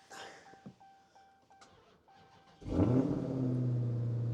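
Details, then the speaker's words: Car with a weak 11-volt battery, started using a jump pack: quiet chimes, a brief crank, then the engine catches instantly and settles into a steady, even idle before being shut off quickly. Normal start. "expected, the car starts. And we're going to shut it off quick, because we don't want the alternator to recharge the battery and then kind of skew this."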